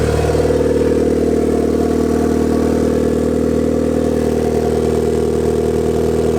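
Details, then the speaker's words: Turbo Miata on its first start after the turbo build: a steady mid-pitched idle with an uneven, hunting beat underneath. Base idle is all over the place and still needs adjusting. "got to do a little bit of research figure out how to do that adjust the base idle because I want to have it more drivable so I can take you to the dyno because right now it's kind of all over the place"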